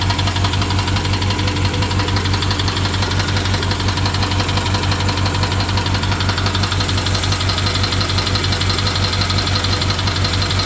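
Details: BMW 750Li with N63 V8 at idle after replacing the fuel injectors and high-pressure fuel pump, with a misfire reported. Sharp, even tick about once a second; the owner wonders if it is the timing chain, unconfirmed.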